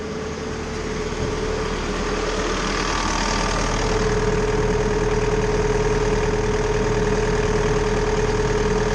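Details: Bobcat T590 diesel after water pump replacement (old pump bearing failed, seal leaked coolant), fully warm with coolant holding 183-187 then 181 degrees, repair judged fixed: steady, even idle with regular low beat, no knocks or misses.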